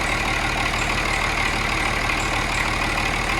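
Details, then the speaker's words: Cummins 6.7 turbo diesel test engine idling around 736 rpm on HythanolPLUS fuel in a first-stage fuel test: steady diesel clatter at an even idle, no stumble or skipped beats; running smooth and healthy. "but this was kind of the first stage test to test the fuel and the operation of the fuel and it is running smooth this is amazing"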